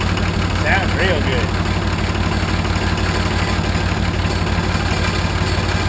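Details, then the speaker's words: 1980 International Harvester Travelall with a Nissan SD33 turbo diesel, started right after an oil, fuel and air filter service. Even, steady diesel clatter at idle with no misses or knocks, oil pressure present; slight roughness is expected from air after the fuel filter change. Normal idle. "Oh, wow. Sound real good."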